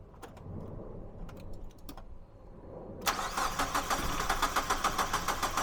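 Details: Mazda MX-5 1.8 VVT, first start on newly fitted Jenvey throttle bodies with an ME442 ECU base map, idle raised and no idle control valve, throttles not yet balanced: brief cranking, then a fast, even idle; a clean start.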